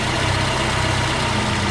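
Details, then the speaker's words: Volvo 240 idling after fuel pressure regulator replacement; before the repair it barely started and wouldn't run. Now a loud, steady, even idle with no stumbling or hunting, and no leaks. "You look at that, when your fuel pressure regulator regulates fuel pressure, it works."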